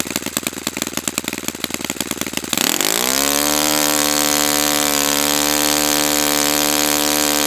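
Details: Brand-new Saito FA-100T twin, final break-in run, restarted still warm without priming or choke; a few cranking chuffs, then a clean, steady high-pitched buzz that holds even. Normal running, called spectacular.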